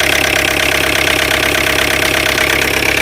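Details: Tata Indica V2 LS BS3 diesel idling with the glow plug fuse carrier refitted: even clatter at a steady idle, about three or four beats a second, no odd knock over it; running normally again.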